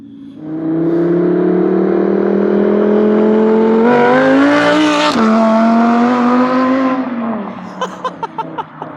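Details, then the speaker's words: Audi R8 V10 under load: the engine note climbs, then hitches with a sudden pitch drop, stuttering and grabbing-and-letting-go on hard downshifts. It drives and shifts fine otherwise; cause not yet found. "You can hear how it's like stuttering. It's just on downshifts when it's under load."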